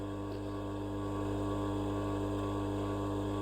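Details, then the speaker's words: Continuous-rated electric motor for a homemade stone tumbler, no load, not yet rubber-mounted: smooth even low hum, no grinding or knocking; lovely quiet motor running normally. "And it's rated at continuous, so it can be run 24/7, month in, month out. That's a lovely little motor, ever so quiet."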